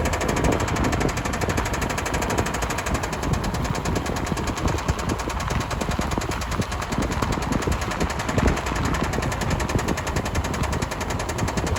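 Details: 2005 Subaru Outback XT on a short drive: a hard, rapid, steady knocking hammers through the engine noise the whole way, consistent with rod knock.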